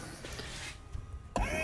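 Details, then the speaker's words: 2008 Mercedes CL63 AMG (C216) dynamic seat system, new air pump run by an active test, heard from the trunk: a steady even hum with a faint whine; the pump runs, but pressure only reaches about 240 and does not build. "It works. You can hear it. Stop. Okay. Okay, well, the pump's working, but I don't know if it's if it's building pressure"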